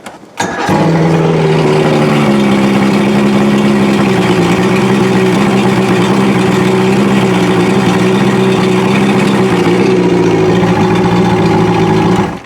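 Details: Outboard motor restarted after warming up (still warming slightly), previously cold-started using fast idle and push-in choke/primer: brief crank, catches straight away and settles into a steady, even run with no stumbling; normal warm start.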